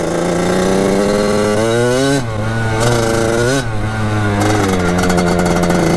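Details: Kawasaki KX80 two-stroke with KX100 99cc big-bore cylinder, warming up after a new head gasket and fixed-up head to cure a coolant leak; crisp buzz rising and falling with short throttle blips, settling clean with no misfire or rattle; owner says it runs really crispy.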